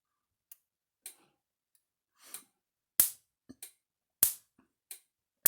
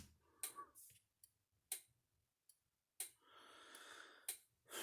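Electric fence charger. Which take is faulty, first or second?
second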